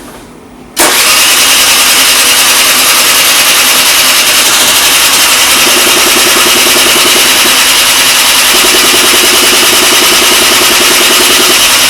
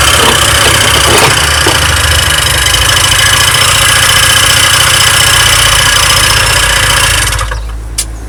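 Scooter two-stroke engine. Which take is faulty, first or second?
first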